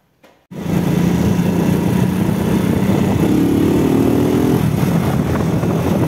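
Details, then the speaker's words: RKS Sniper Pro 50cc single-cylinder motorcycle after replacing engine-mount stud bolts with 8.8 steel bolts: test ride of about 5 km through all gears, with a steady buzzy note climbing in pitch, even and free of rattles; vibration greatly reduced, normal running. "Yaklaşık 5 kilometredir sürdüm motoru titreşimine bakmak için bütün vitesler de tek tek baktım titreşimi büyük oranda azalttı"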